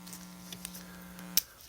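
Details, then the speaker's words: Boston Acoustics MM-220 amp: steady low mains hum, blamed on output going to a non-terminated audio input, drops out abruptly when the USB cable is removed and the ground path changes; ground loop hum. "you'll hear that hum and that hum is super annoying and that was by the way the reason it's doing that is because i have it actually going to a non-terminated source"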